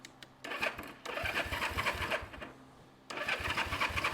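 Starter spins the engine in quick rhythmic bursts, stopping and starting, but it never catches; cranks fine with no spark.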